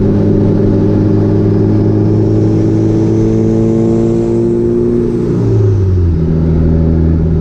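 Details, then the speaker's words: Truck with a Cummins turbo swap on its first drive: a strong, loud, steady engine note climbs smoothly through the revs and eases off, even and clean throughout. The engine is running normally. "all right guys i'm gonna drive it a little more but there you have it it's running good and it's loud"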